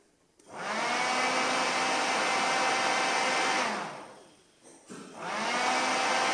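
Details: Hyundai H1 4x4 CRDI intercooler fan, found not working, repaired and tested wired directly to battery: motor whirs to a steady, even high hum, winds down, spins up again cleanly with no scraping. Fan runs normally.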